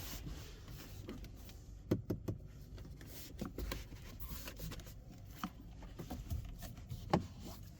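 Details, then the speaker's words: Ferrari Roma Spider (2025, 3.9 V8 F154, 620 hp) interior: creaks and rubbing ticks from the piano-black center screen when it is pulled hard. The screen mounting creaks against the trim; the rest of the fit is otherwise good. "Jak słyszeliście pojawia się skrzypienie przy tym środkowym ekranie, jak go mocniej pociągniemy i jest niestety piano black, ale poza tym materiały są naprawdę bardzo, ale to bardzo dobre i reszta spasowania jest również na wysokim poziomie."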